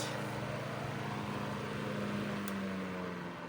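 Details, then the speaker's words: 1941 Gilbert fan, about 80–90 years old, after its noise and loud hum were fixed; blade rivets still loose. Smooth, steady whir with a low, even hum, no rattle or growl; normal running. "This fan still works great 80, 90 years later. The tag that this fan described was 1930s fan works but makes noise. Well, I fixed that noise. It was also making a super huge humming sound too, but I corrected that and it works great."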